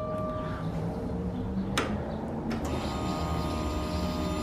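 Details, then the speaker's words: Newly installed fuel pump in the tank with a filter, key cycled several times to fill the filter before starting: loud, steady electric whine dropping out and returning with each cycle, louder than the previous pump; normal priming. "that's a lot louder than the last pump"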